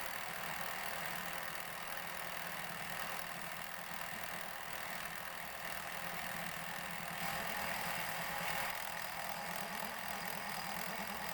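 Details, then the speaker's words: Lathe facing a 150 mm disc that comes out convex: steady machining roar with an uneven, rapid rattle through it; the noise has only just started and its source is unknown; unknown mechanical noise. "And I don't know what that noise is, it's only just started."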